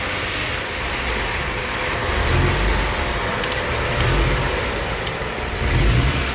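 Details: Kia Stinger GT GDI engine held at a slight rev during intake valve carbon cleaning, cleaner fed through the catch can/PCV hose; it surges, sputters and stumbles as if about to stall, which is normal.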